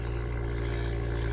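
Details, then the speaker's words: BMW M2 with M Performance exhaust, cold start raised idle: steady low drone with buzzy overtone, annoying vibration occurring twice per warm-up cycle, gone once warm; suspected install issue, not confirmed. "so you can see that there's a really annoying vibration in there and it it does it twice during the cycle"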